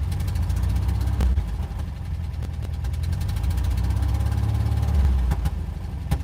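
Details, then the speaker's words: Van engine after a long crank to start, mic windscreen off. Sharp irregular knocks over a low rumble, worse when revved: rough running with knocking. Oil was not topped off after an oil-leak check; cause not confirmed. "Rough, bro. That sounds like [ __ ]"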